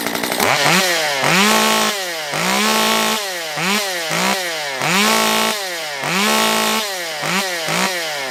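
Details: Stihl MS194t two-stroke chainsaw after repair of a fuel issue and no-start, carb richened on limiters, warming up: blips crisply from idle to high revs and back, clean throttle response, no bogging or stalling.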